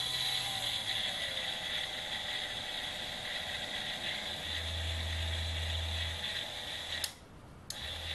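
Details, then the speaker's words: Banggood 220V 72W micro rotary tool, permanent-magnet DC motor with reduction gearbox (probably planetary), large disk fitted in chuck: high gear whir with rapid ratchety rattle, quite a bit of vibration, not smooth; smoother in forward rotation. "but a favor the vibrations my keys you know quite a bit of vibration they're certainly not smooth"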